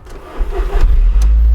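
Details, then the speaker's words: Original £350 Audi TT left off the road for over a year, first key turn on a freshly charged battery in neutral; brief cranking, then it catches within a second and settles into a steady even idle. A clean normal start. "Oh my goodness! Oh yeah, that's excellent."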